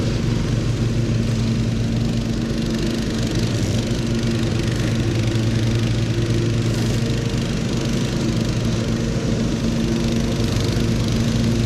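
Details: Husqvarna HU 625HWT four-stroke string trimmer that a coworker couldn't get running, test-started mid-repair: buzzes at a fast steady idle with even firing, no misses or knocks; running normally.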